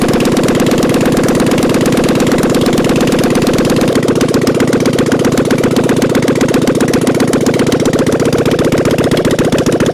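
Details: 1997 Harley-Davidson Softail Springer, off the road since 2002, no headers or mufflers fitted: loud open V-twin lope with crisp valve ticking at steady idle. Oil now reaching the lifters; sounds healthy.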